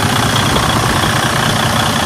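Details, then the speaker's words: Freightliner Cascadia DD15 diesel idling after cam housing and engine timing repair: loud, steady rumble with even clatter, no knock or miss; engine sounds better than before, normal idle. "you can hear the engine it is better than before right"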